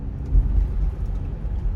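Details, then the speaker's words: Rear-wheel-drive Sorento turning right, with steering-wheel vibration and no noise turning left: low droning hum swelling and wavering under road noise. "자, 우측으로 감으면 우욱 소리가 나죠. 뭐 거의 이게 핸들도 진동이 옵니다."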